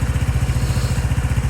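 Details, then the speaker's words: Lance Cali Classic 125 cc scooter, 2018, revived after not running: smooth idle at about fifteen beats a second with no misses or hunting after the idle adjustment; the earlier trouble was possibly the automatic choke. "man that sounds great let let it warm up a little bit and then uh gas it's try out"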